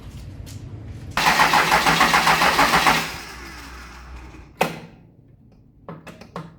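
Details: Engine intended for a 1956 Chevy truck, on the shop floor after flywheel mouse nest, long fuel line with air: fast rhythmic starter cranking in bursts, about three and a half beats a second, never catches.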